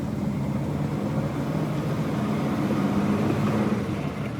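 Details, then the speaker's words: Volvo 164 with worn B30 engine, driving around the neighborhood: steady drive noise with low droning hum and faint tone near 200 Hz over road rumble, mostly worn transmission bearings. "first thing you'll notice is there's a lot of noise and most of it's the transmission bearings"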